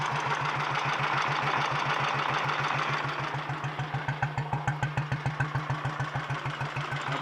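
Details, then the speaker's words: 1951 Royal Enfield Bullet 350 G2 single after a full engine rebuild, with the ignition timing set via the advance lever: an even, steady thump of about 3.5 beats per second settling into a clean, regular idle. Normal idle. "i think i've got the timing how i want it"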